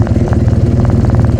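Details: 2009 Polaris RZR 800 EFI idling in neutral right after replacing a failed drive belt: deep regular chugging idle, even beat, no slipping or flapping; engine and drive healthy.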